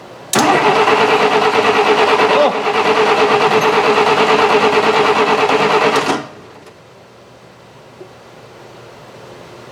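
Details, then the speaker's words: 1966 Canadian Valiant, low mileage, engine not started in 10 years, cranked on a fresh battery with cold oil to build oil pressure before fueling: about six seconds of brisk, even cranking near three beats a second, no firing; normal cranking. "okay fresh battery or give us another try so we want this light to go out and when it does we have oil"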